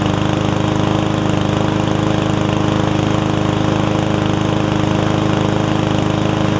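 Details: Yard Man self-propelled push mower with Powermore engine, long-sat, after carb clean and self-propel freed up: steady, even beat around 220 pulses a minute, no hunting or surging; about 90%, old gas likely still washing out, owner may add Seafoam.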